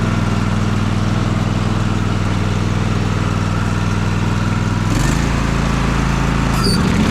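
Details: Husqvarna TS354XD riding mower with 54-inch ClearCut deck, test run after deck belt replacement, tension reset and grease fittings serviced: steady even engine drone, smooth low throb, no knocks, slips or squeals; normal running.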